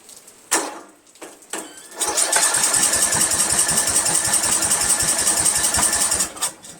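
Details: 1999 Craftsman LT1000 lawn tractor repowered with Briggs 17.5 hp engine, cracked flywheel: steady starter churning with a couple of short pops, cycling choke, but never catches and runs.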